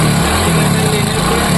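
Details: Hero Splendor motorcycle engine running with a light, quick ticking "kit-kit" from the timing (cam) chain, with jerking when accelerating.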